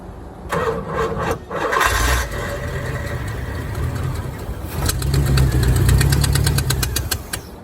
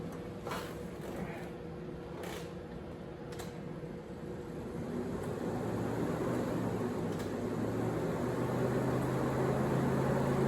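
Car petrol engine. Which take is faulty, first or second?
first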